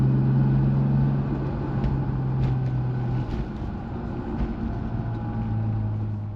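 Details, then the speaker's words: Toyota Supra MK4 on a drive after its rear differential was replaced (the old diff likely never had an oil change): a steady low drone with no speed-related whine; the rear axle runs quietly. "I've just taken the car for a drive, and as you've heard from that clip, it sounds a lot better than what it did at the start of the video."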